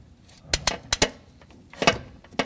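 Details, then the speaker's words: 2008 Toyota Corolla S 1.8L, engine off, crank turned clockwise by hand with a ratchet after the hook was released, while installing a new timing chain tensioner: sharp metallic clicks, then a crisp snap as the tensioner extends and releases normally. "let's go clockwise now and now listen for that snapping noise of the tensioner releasing"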